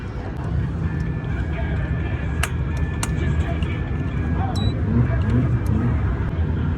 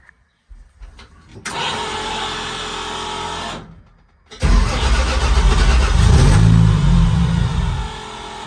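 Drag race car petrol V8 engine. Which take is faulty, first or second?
first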